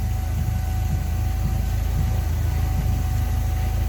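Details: Yale GLC050 forklift, Mazda F2 engine at operating temperature, idle: steady low idle with slightly uneven chuff and faint whine; O2 sensor flat lean in closed loop, code returns at idle, restricted throttle-body idle injector starving engine.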